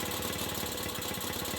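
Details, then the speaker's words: Restored 1967 Mobylette AV 49 moped, first start after 30 years stopped: quick even two-stroke popping, steady beat, no stumbles, holding a clean idle; it won't shut off, decompression cable thought to need attention. "Comme quoi, après 30 ans d'arrêt, au premier démarrage, et ben c'est reparti mon kiki. Et elle tient même le ralenti."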